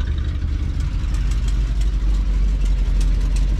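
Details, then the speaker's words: Motorhome, carbureted V8 at about 67,000 miles, idling after cold start: deep uneven rumble with faint rapid ticking puff from an exhaust manifold leak, to be repaired later. "There, hear that exhaust leak? We'll get to that job."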